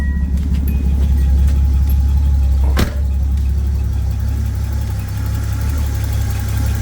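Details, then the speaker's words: Datsun 280ZX Turbo (L28ET) warming up: deep slow loping idle that dropped from 750 to about 500 rpm, with 650–750 normal; low idle speed, to be adjusted at the throttle stop. "okay so the car is warming up and I noticed the RPMs did drop a little bit it went from 750 to about 500 you can hear it loping or you hear it yeah we're at about 500 normally 650 750 is normal for this car"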